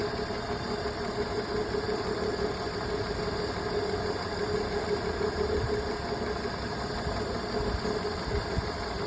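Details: BMW idling steadily with a faint uneven stumble under a constant hum; diagnostics show misfire on cylinder 2.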